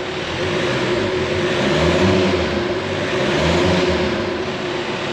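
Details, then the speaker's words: Engine (revised, possibly used block; new pistons, camshaft and hoses) at its first start-up after the rebuild, with a bit of smoke: revs rise and fall cleanly at standstill with no knocks or rattles, and it sounds healthy. "It's actually not that bad."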